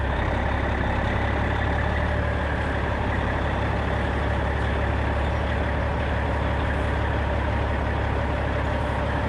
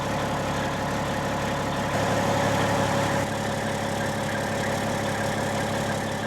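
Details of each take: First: 1995 Western Star with Cat 3406E diesel after new 6-inch Grand Rock exhaust replaced the holed, sheared-flex-pipe system: deep, steady low rumble running evenly; clean, healthy exhaust note, no rattles or leaks. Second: 1995 Western Star with Cat 3406E diesel idling before exhaust replacement: raspy, uneven chuff instead of smooth low rumble, louder than normal, from holes in the crumbling exhaust.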